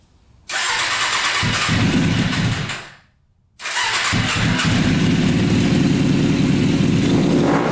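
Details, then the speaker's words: Custom Yamaha Banshee quad with a 600cc four-cylinder sport-bike engine, run after pilot jets were unclogged: engine catches, dies, restarts stumbling unevenly; spark lost at middle cylinders two and three. "i don't think our two middle cylinders are running so let's check spark there again all right we lost spark at these two middle cylinders"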